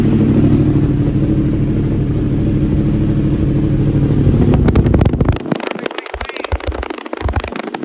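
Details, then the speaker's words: 2015 Yamaha R1 race bike with 7200 track miles, cold start after 2 weeks unused. Smooth, even burbling idle with no ticking or knocking; everything is adjusted, quiet and in good shape. "exactly everything's adjusted it's quiet it's in good shape"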